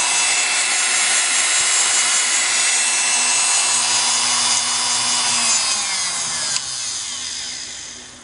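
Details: Singer PA style sewing motor from a model 600, after deliberate oiling and Krud Kutter cleaning, brushes reinstalled: smooth steady high whine at full speed, no rattle or scrape, even wind-down; running cleanly.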